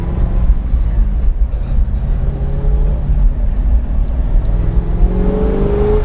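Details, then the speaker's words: 1967 Ford Mustang V8, 2,800 lb, recently renovated, driving: full-throttle acceleration as carburetor secondaries open, deep rumble climbing steadily in pitch, clean and even with no misses or knocks; normal acceleration. "Here the secondaries open up. up. Yeah, that's fun. I always have to do that when I take it for a ride because I want all the parts to be tried out, including the secondaries on the carburetor."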